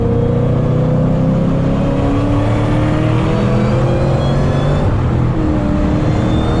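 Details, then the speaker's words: Ford Mustang GT500 supercharged V8 under hard acceleration after new correctly gapped spark plugs, high blower whine climbing with the roar; supercharger belt slip felt. "Wow I'm Eli that's impressive can hear the blower whining"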